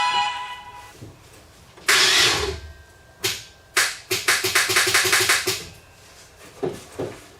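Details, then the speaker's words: Chevrolet Avalanche demolition derby car after frame damage: single clicks, then a quick chatter of about eight clicks, and no crank; batteries confirmed good, starter suspected bad or jammed against the flywheel. "and then it won't turn over at all like I'll show you the the sound it makes it sounds like it has a dead battery but I I know for a fact cuz I've swapped the batteries that the batteries are not"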